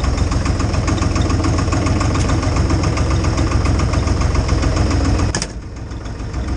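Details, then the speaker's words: IHC 633 tractor, 3-cylinder 3-litre diesel, started at minus 10 °C with a jump starter after a no-start, idling with a low, heavy, even chug then fading out; normal running. "Und tatsächlich hat das Ding meinen Trecker zum Laufen gebracht. Das ist nicht schlecht."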